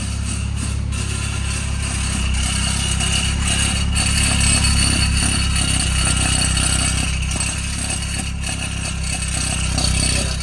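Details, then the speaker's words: 2013 BMW 328xi started and idling: a loose, uneven metallic rattle from the exhaust underneath at the rear. "hey guys today we have this 2013 bmw 328 xi we will be diagnosing some rattle noise in the back and i'll show you what it sounds like"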